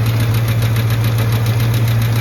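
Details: Truck at idle on a 61 °F morning: a fast, light, regular ticking keeps pace with the engine over a deep, steady hum; oil pressure is good now but drops a lot once warm, and the ticking's cause is unconfirmed.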